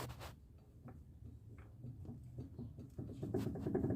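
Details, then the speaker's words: 2013/14 Fiat Palio suspension rocked up and down by hand: light, uneven clicks and dull taps, about three a second, from play in worn sway bar links; both links are to be replaced. "isso aqui ó já estão faz muito barulho Pessoal esse aqui tá então para corrigir essa barulheira toda que tá nesse carrro aqui ó botar trocando as duas bieletas"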